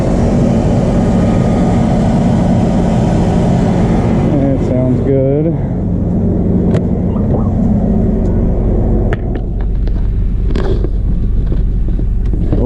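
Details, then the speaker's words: 2002 Chevrolet S10 Blazer 4x4 V6, first run in a long time after fuel pump replacement, idling cold on jack stands with driveshaft out, oil pressure a little concerning: steady, even low rumble, no knocks, misses or surging; normal running. "been a long time since this thing's ran so i'm just letting it run"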